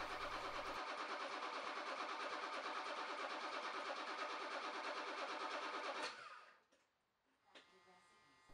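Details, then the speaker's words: BMW E28 M535i, first start after sitting for a long time: the starter cranks evenly for about six seconds with no firing and no spark, because the upper crank position sensor plug was unplugged. "and I cranked it up to see what it would happen evidently nothing at all"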